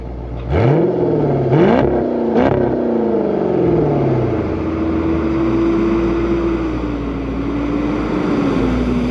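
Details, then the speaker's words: 2007 Dodge Magnum SRT8 V8, warm at about 206°F coolant on a roughly 100°F day, GoPro mounted at the rear by the exhaust. It fires up, gets three quick throttle blips that swell and fall, then settles into a smooth, deep idle; a healthy V8. "All right, so I have it on the back now. I'll turn it off, start it up, and then you guys kind of hear the exhaust, all right?"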